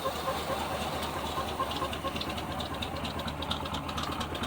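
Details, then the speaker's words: 1976 GMC Sprint V8, sat years in a barn, power steering pump locked: runs on fuel poured in, lumpy slightly uneven idle but holding steady, blowing debris from tailpipes; confirmed a runner. "it's running running on what i poured in there"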